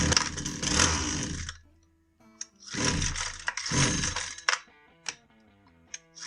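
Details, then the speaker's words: Husqvarna 122C string trimmer with a won't-start complaint: it buzzes briefly on each pull, then cuts dead and restarts in bursts, as if the ignition is cutting on and off. A kill-switch circuit fault is possible, but a faulty ignition module is expected. "We confirmed the customer complaint that it won't start, and if you notice there, it acted like the ignition was cutting on and off."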